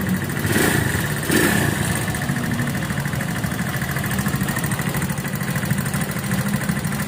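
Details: Viar VSR 200 motorcycle after two other workshops, possibly crashed: uneven rattly idle with irregular clatter over low drone, harsh and worse at higher revs; oil not circulating because oil cooler lines were blocked off with bolts, causing oil starvation.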